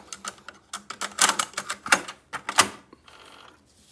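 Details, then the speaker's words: Denon DRM-710 cassette deck: insert tape, press play, irregular plastic clicks then only faint motor hum, no response to buttons; carriage drive belt had slipped off, refitted as fix. "Вставляем кассету, нажимаем play, ничего не происходит. Слышно, как срабатывает мотор, вот что-то там гудит. И на этом все."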